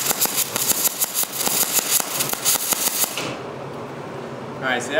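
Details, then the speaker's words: MIG welder with only voltage and wire-speed settings, wire speed set slow (about 30–40): uneven arc popping about three a second, burning back into the gun; weld pinholed with no penetration. "a terrible terrible weld you could hear how that had that popping sound it just sounded like it was going back up into the gun which it was"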